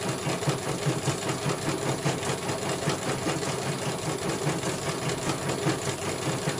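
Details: CNY computerized embroidery machine, serviced because its motor made no sound and would not rotate, now on a stitching test. Quick, even ticking several times a second over a light motor hum, no grinding. It finishes one color and is judged very good.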